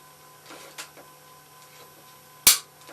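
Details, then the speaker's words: Vintage Singer 95-1 sewing machine with clutch motor, after belt replacement and hook re-timing: one crisp, sharp click as the threaded bobbin case snaps onto the hook, showing it is properly seated. "there it is one more time i want you to hear this click when you put a bobbin back into your case just like that"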